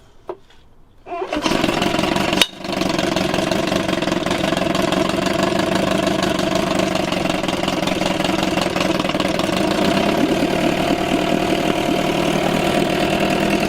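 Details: 1987 Johnson 4hp twin two-stroke outboard in a water barrel, recently overhauled with new choke/fuel shutoff and idle valve, on old rich-mix fuel: a quick recoil pull catches straight away and settles into a steady even buzz without stumbling; normal start and idle.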